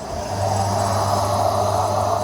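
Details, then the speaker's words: AEG Electrolux Lavatherm 59800 condenser dryer in test mode, blower fan motor test: a steady low hum with an even airy rush as the blower fan motor now spins, which it did not before, with no scraping or rattle. "You can see there, now the motor is spinning. It wasn't spinning before, I didn't notice."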